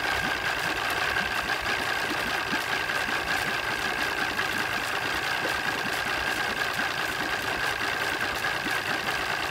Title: Mariner 200 EFI rough idle 2